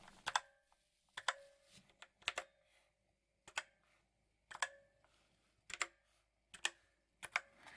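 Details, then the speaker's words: Drevo Calibur V2 mechanical keyboard; each keystroke leaves a thin metallic ring after the click, pinging across the board; reviewer suspects the backplate mounting. Cause not confirmed. "reverberations throughout the board after you depress a key a metallic reverberation now probably has something to do with the backplate the way it's secured maybe it's quite a bit of pinging all across the board"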